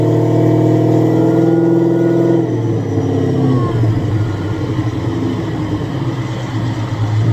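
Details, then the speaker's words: Supercharged Coyote V8 Ford Fairmont on dyno, about 900 rear-wheel hp, new Magnafuel 750 pump on boost-referenced return fuel system: strong even note climbs hard under full throttle into a dense roar, no misfire or stumble; plenty of fuel, normal WOT acceleration. "so this was nice this was nice to verify fuel pressure it's getting plenty of fuel the car is ready for Texas 2 K"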